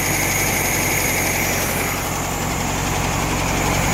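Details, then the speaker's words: VW Bug with swapped-in estate-sale air-cooled flat-four engine, still warming up after replacing a bad ignition wire: steady even low chug idle with fan hiss, earlier stutter gone; carburetor still to be adjusted. "Sounds good though. Yeah, that stutter went away."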